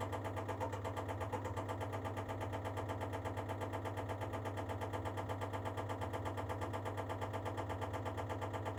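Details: Baxi Duo-tec boiler knocking while starting the heating: rapid, even ticking at about three knocks a second over a steady low hum during start-up; cause unknown.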